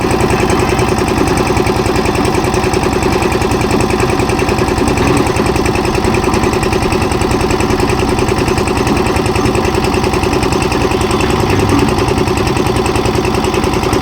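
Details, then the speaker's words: Kirloskar single-cylinder diesel engine on a concrete mixer after governor repair, timing rod adjustment and a 3.5 L Castrol CRB Plus 20W-40 oil service: loud, steady chug at about two and a half beats per second, with no misses or hunting; this sound shows diesel is being supplied. "Engine ఈ శబ్దం చేస్తే, diesel సరఫరా అవుతోందని అర్థం."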